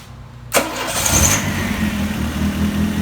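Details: Freshly DIY-rebuilt 175-hp Dodge 2.2L turbo GLHS engine swapped into a 1985 GLH-T, started roughly the 17th-18th attempt: short starter whirr, catches at once and settles into an even, steady idle.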